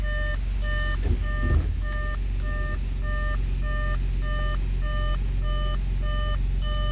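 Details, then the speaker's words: Audi S4 3.0T supercharged running after an oil change with five liters of oil. Steady high beeps, roughly two per second, over the engine: the airbag warning chime, with the light on because the rear seats are removed for track days. "the reason for that our Berg light is because I have my back seats removed going from home to a track day you know want to shave some weight get better times"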